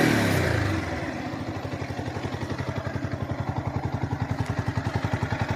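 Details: Yamaha R15M engine: as revs fall back to idle a steady light clatter ticks with the engine; tappet (valve clearance) problem making the sound bad.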